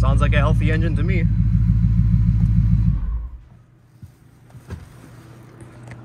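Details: BMW 750Li after a couple of minutes running, oil warm: a few clean revs that climb and drop back smoothly with no knocks or rattles, then a quiet settle. Normal engine revving.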